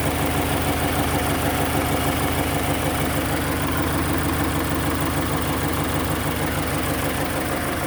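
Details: Subaru BRZ at idle: loud, steady idle with a coarse, regular pulsing chuff about three beats a second; abnormal exhaust noise, source not yet found.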